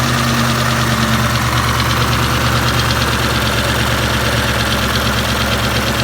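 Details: 2003 Mustang Cobra SVT clone, 17 psi boost, warm idle: fast light steady tick about three per second, only warm at or returning to idle; began after alternator failed on a 5th-gear high-speed run; oil pressure good, lifters/rockers replaced.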